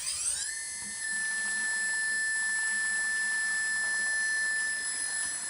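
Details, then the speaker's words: Modified Pacific Hydrostar water pump, 135kv motor on an 80 amp ESC and 24V supply, run at full speed near 3200 rpm for a 5-gallon flow test, about 643 GPH; spools up fast, then a clean, steady high whine; normal running. "I got about 5 gallons in that bucket, and we're going to time how long it takes to empty it and move it into this one. So I'm going to go full speed on this"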